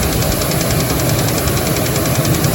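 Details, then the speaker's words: Dodge Dakota 3.7 at idle after three collapsed lifters were replaced: a quick, steady knock under the running noise, seemingly from low in the engine; the owner is pretty sure it is rod knock, though unsure whether the tick was simply louder. "this definitely sounds different now than it did before seems to be coming from lowering the engine i think we've got rodnock pretty sure that's what it is"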